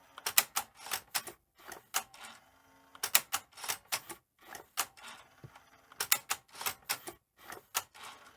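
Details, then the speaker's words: Sony SL-C6UB Mark II Betamax front loader: repeated bursts of clicking and clatter every few seconds as it keeps cycling without ejecting. Tape-down works fine; a switch is suspected misaligned or not working. "I'd say there's something wrong somewhere with either the alignment of the switches or something isn't quite right there or the switch just isn't working um but tape Down's fine it's just the uh eject"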